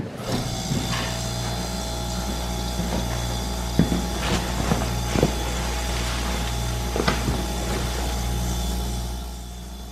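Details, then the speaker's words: Chest freezer compressor that wasn't running, now fitted with a Supco pre-wired start capacitor: a steady, healthy low hum with a few handling clicks and knocks nearby; the compressor starts and runs normally. "I can hear it's running beautiful it works fix this for I don't know fifteen eighteen dollars beautiful"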